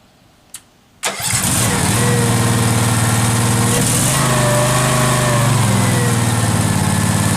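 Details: Case 446 tractor first start after rewiring, fresh synthetic oil and hydraulic oil, carburetor solenoid working, throttle cable just hooked up: click, crank, catches and settles into a steady, even run with no misses; normal running.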